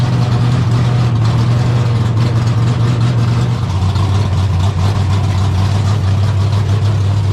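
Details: 1972 AMC Javelin race car V8, motor not run in almost 30 years, just started: heavy, lumpy low idle with a slight pitch drop midway, firing steady and strong. Normal idle.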